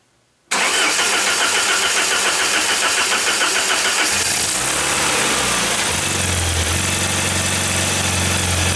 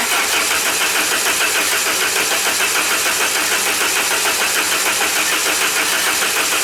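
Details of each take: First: 1994 Saab 9000 after injector service and plugging a vacuum leak from failing secondary air injection one-way valve, with new battery: engine catches right away and settles into steady even idle with no stumble; sounds better, new tappets for number four still planned. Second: 1994 Saab 9000 non-turbo, just after injectors were rebuilt with new caps and seals and flow tested: steady fast cranking that never catches, fuel rail empty and needing a few cranks to rebuild pressure and fill injectors.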